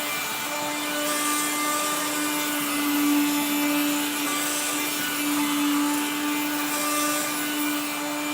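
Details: 1970s blue Regina Electrikbroom 3-speed vacuum, just arrived, vacuuming a floor. The motor and fan are dry after someone washed it. A constant motor drone carries a rough, scraping grind that stays steady: a dry motor bearing.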